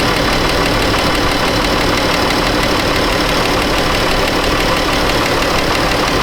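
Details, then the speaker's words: 2013 Chrysler 200 3.6 with an overheating complaint, at idle: both cooling fans kick on, a steady, even rush of air with no rattle or wobble, working normally. A head gasket failure was later proven. "Let's see if we have fans here. Okay, yep. We got both fans working."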